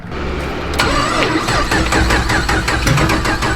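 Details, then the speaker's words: 5th-gen Camaro (Cowmaro) on E85, cold start at 4 degrees after jump-starting a dead battery: the starter whirs, then cranks in sharp beats for three seconds without firing; cranks but won't start, cause unconfirmed. "Come on. Nope. God, if it wasn't 4 degrees, I had such high hopes."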